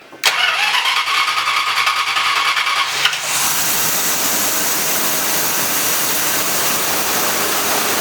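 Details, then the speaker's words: Cheap sleeper car just fitted with a Thermoquad carburetor, believed the factory type: about three seconds of cranking, then a loud, airy rushing idle that holds steady, "like a vacuum cleaner"; new carburetor runs fine, car then drives. "Sounds like a vacuum cleaner. Good gracious."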